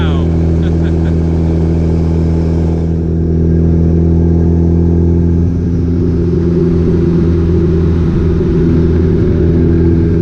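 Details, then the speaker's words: Truck with a Cummins diesel after a turbo swap, first drive: a deep, even drone with a loud, steady exhaust note and no knocks or misses. The engine is running normally. "yeah sounds good guys we have officially wrapped up the common swap turbo build everything is running good"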